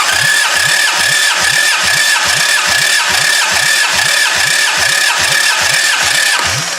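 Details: Bare demolition-derby engine of unknown origin on a subframe, cranked by the starter on a new battery during a compression test. Steady starter whine with even chuffs a little over twice a second; this cylinder reads 210, healthy compression.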